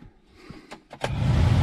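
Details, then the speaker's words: Geo Tracker heater blower after cleaning moss and insulation from the squirrel cage fan: a couple of clicks, then smooth steady rush, much quieter, no rattling. "much much quieter much better"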